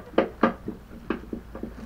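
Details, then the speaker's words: Mobility scooter with worn front wheel bearings riding over bumps: sharp irregular plastic clacks in bursts from inside the steering area, not the tight tiller. Owner suspects the front light relay's slip-on mounting tab has come loose. "the killer's still tight but there's something inside that's rattling really bad"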